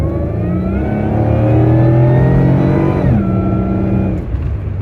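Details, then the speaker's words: Car driving on a cold day while the owner tests for a boost problem. Under acceleration a clear whine climbs in pitch with revs and drops on the shift: the supercharger works normally. The boost gauge shows no boost; the owner suspects the gauge or a vacuum line. "wine that like that like wine sounding thing that's the Supercharger so I can hear the supercharger working but the boost gauge doesn't tell me that it is"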